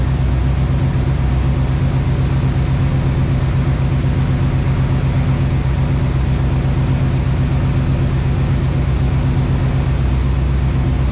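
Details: 1990s-style OBS Chevrolet Silverado truck after sitting a long time, started again after new coil, ignition module, battery and topping off very low fluid: low, steady even rumble about four beats per second, no knocks or ticks; healthy, quiet idle.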